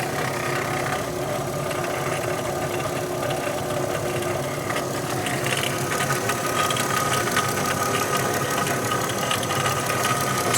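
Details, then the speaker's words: 2016 Dodge Grand Caravan 3.6L at idle: light, fairly quick ticking with a faint high whine. Owner thinks it is not a pulley, alternator bearing or accessory belt but the timing chain or variable cam gear; not yet checked. "para mí no suena como un como una polea o como el balero del alternador suena más como el el en grande variable suena como la cadena de tiempo"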